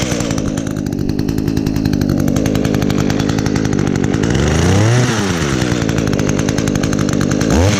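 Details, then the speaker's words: 2010 Echo HC 150 hedge trimmer, carburetor had previously failed, probably unused since late spring, started on choke with primes: crisp, even two-stroke buzz that picks up cleanly on quick throttle blips; normal running. "see how it starts oh wow that's amazing I probably hadn't used this thing since probably since late spring last year"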